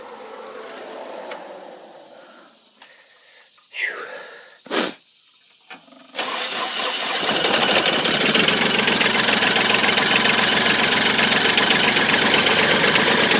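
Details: Dixie Chopper XWD 2600 diesel mower, about 1,700 hours, after running out of fuel and bleeding injector lines: brief cranking bursts, then catches and settles to steady even diesel clatter; normal start and idle.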